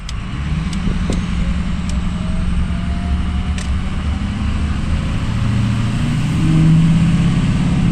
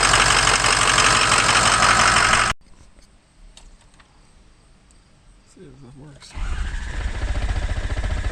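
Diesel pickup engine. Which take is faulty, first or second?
second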